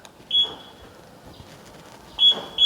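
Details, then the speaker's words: Toyota Soluna GLi 2000 automatic, original factory remote and alarm: one short high chirp, a pause, then two quick chirps at the same pitch; alarm answering its remote normally. "Kunci masih dapat 2, masih original, dan remote-nya itu masih original. Ini gila, ini original dari Soluna, dan suaranya juga seperti ini yang"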